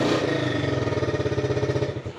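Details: Yamaha Fino scooter that had hard starting and stalled when throttled, after the fix: engine revs up quickly and drops back smoothly, firing pulses steady and even with no stumble or cut-out; healthy rev response.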